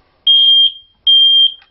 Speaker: could go off and off and off and never stop. And the reason for that is two. Number one, it is doing its job.